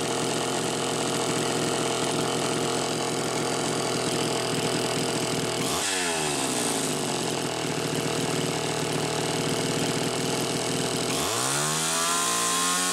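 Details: Homelite Super XL Automatic chainsaw, reported smelling hot, on ethanol-free TruFuel, almost warmed up: crisp even buzz snapping cleanly to high revs twice without stumbling or throttle lag; healthy.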